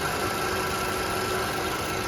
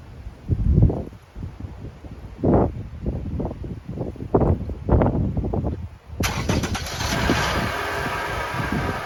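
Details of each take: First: 2012 Toyota RAV4 engine idling smooth and quiet after the fix; the removed part's bearing had a lot of play and caused the rattle, which is now gone. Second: 2012 Toyota RAV4 engine: a few thumps, then it starts and idles with a steady metallic rattle that doesn't go away, from a worn accessory pulley bearing; the belt is to be removed for the fix.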